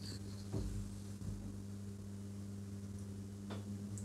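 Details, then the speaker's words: Epiphone Valve Special tube guitar amp, warmed up with master volume at zero: a steady low mains-type hum with a few soft handling thumps, while fizz, crackle and pop faults are being traced. "switch it on let it warm up okay let's give it this doesn't make a noise now i'm gonna get really upset it's humming you hear that"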